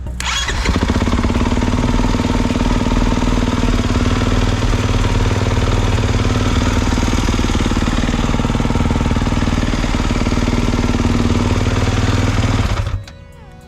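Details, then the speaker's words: 2022 Kawasaki KX450, about 9.9 hours, hot and over running temperature after fuel pump fix: fuel pump primes, then fires straight up and settles into steady, even idle; hot no-start fixed. "It is now hot, way over temperature. I want to give another start to see if it's going to work."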